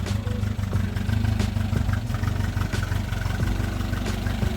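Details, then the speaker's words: 1967 Volvo 122S, sat 35 years in woods, revived, after clutch slave cylinder work: uneven low idle with light mechanical clacking ticking through it; engine clatter, cause unknown. "Just clacking away."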